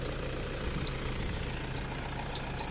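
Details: Toyota Innova D4D diesel, formerly cranking without starting after a dog chewed the injector driver wiring, now restarted after a new injector driver module was fitted. Steady low diesel rumble at even idle, no missing or knocking; runs smooth and settled.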